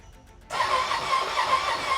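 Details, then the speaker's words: Ducati Panigale badly wrecked, first start attempt after rebuild with new cooling system, oil change and new exhaust: starter spins engine evenly with steady whir, no firing, never catches; owner suspects no spark, plans spark plug check; crank no start. "Well, it turns over, so that's a good sign. It sounds good. It's just not turning o. It's just not I'm not hearing a spark or anything."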